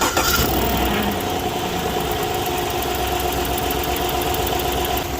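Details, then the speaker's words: 2015 Chevrolet Silverado 5.3L V8 starts and idles with a light, quick ticking, about four a second; complaint was knock that goes away warm, cause is a passenger manifold exhaust leak from a broken bolt at the number eight port. "so uh he didn't have a knock he has an exhaust leak and i'm sure when it's really cold it probably makes a lot of noise"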